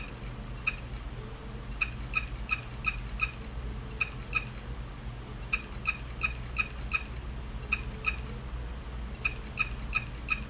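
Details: Seagate hard drive clicking noise: sharp repeating clicks in bursts of three to five over a low steady hum, a common Seagate failure symptom.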